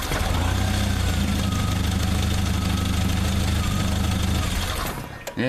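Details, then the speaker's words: 1995 Jeep Wrangler YJ with ignition coil relocated, pressing on the coil plug/wiring; steady slightly uneven idle then sudden cutout when the plug is disturbed; engine stalls at idle from suspected intermittent ignition coil connector fault. "it seems that's the problem we're having if this plug just gets a little bit miss kimbob y elated it shuts off"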